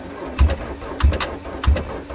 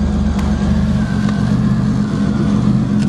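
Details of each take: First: Geo Swift cold start in March on stale fuel with patched ignition, after repeated cranking: three sluggish, heavy cranking groans slowing down as the battery runs flat; slow cranking from weak battery, it starts on the last bit of charge. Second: Cold March start, likely a Pontiac Grand Prix 3.1 engine: catches promptly and settles into a smooth, even low rumble with no misses or knocks; a healthy cold start and idle.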